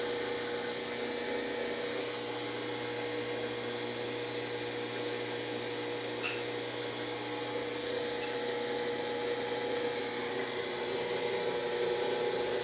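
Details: Brastemp BWG11AB washing machine stops mid-program and won't spin; steady high-pitched motor whine that never climbs in speed, drum not spinning up, horrible noise while stuck.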